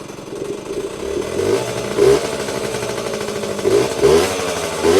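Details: Yamaha GT80 two-stroke mini enduro (1977–79), sitting unused for a while, oil recently changed, started on choke: crisp ringing two-stroke buzz settling into a steady idle with quick throttle blips; starts quickly, little smoke, healthy normal idle.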